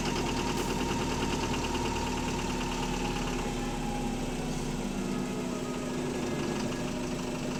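Under a cabin-muffled diesel idle, a dull knock repeats about three times a second, steady with engine speed, pointing to a worn rod bearing.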